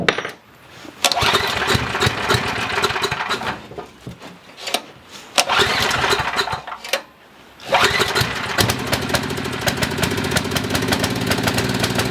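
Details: Coleman Maxa 5000 ER generator after carburetor cleaning, choke possibly installed upside down: catches and runs briefly, then sags and cuts out, restarting and dying again; fuel starvation, a missed small hole later found in the carburetor needle; carburetor eventually replaced.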